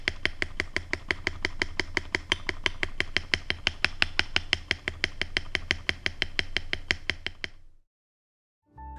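About three crisp, even key taps a second with no wire rattle or tick, then silence; the modded spacebar sounds clean and solid.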